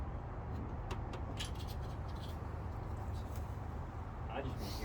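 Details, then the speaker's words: 1966 Ford F100 parked since 1989, first start after 32 years, running on mixed fuel with oil and fed through the fuel pump: low, uneven chugging idle with a hard, diesel-like clatter; cause of the rough running not yet pinned down. "on today's episode of left to rock we just got this trucker up and i don't know it sounds like a diesel"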